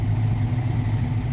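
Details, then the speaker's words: Ford Mustang 4.6-litre V8 started after long storage with a coolant flush, fresh coolant and a new air filter: a deep, throaty rumble holding steady and low with a slight uneven lope, running rough at first. "Throaty V8 rumble, proving that this engine was still alive after all that sitting."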